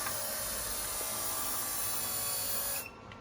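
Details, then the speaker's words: 124 with replacement fuel pump fitted after original leaked fuel, run off a separate supply and not the car's electrics to check for leaks: steady hissing hum for a few seconds then clean cutoff reaching operating pressure; normal fuel pump priming, no leaks. "You can hear the pressure is building up. Keep going? Yeah, just run it. So now it's at operating pressure."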